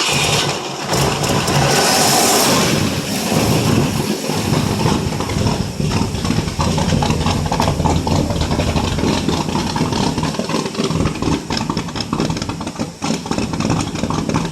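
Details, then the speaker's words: 1967 Ford LTD 2-door, 390 FE 2-barrel V8, cold start after 12 years on old gas: rough, stumbling, sputtering idle at wide throttle while cranking, smoky, loading up on fuel; carburetor had known issues. "Boy, she's loading up bad. Oh yeah, she don't like that at all. Whew, she's smoky."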